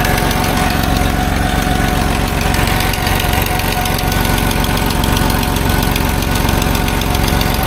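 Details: Dodge W100 truck at steady idle: a light, fairly even tick of about three per second over the engine. An exhaust leak near the manifold, close to the O2 sensor, is suspected and checked with a wet rag.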